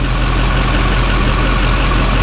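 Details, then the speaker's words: 2007 Duramax LBZ diesel idling after fuel filter housing replacement cured air intake and loss of prime; steady, even idle clatter with no misses or hunting; Duramax running good. "Should be good to go. Okay, so Duramax is running good."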